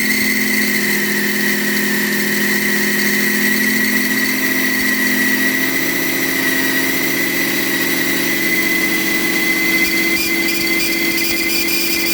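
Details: BMW E38 with M57 B30 diesel at idle: a reconditioned turbocharger whines like the old one, a steady high whistle over the idle. The whine disappears when the variable-geometry control valve connector is unplugged and returns when it is refitted. Cause unknown.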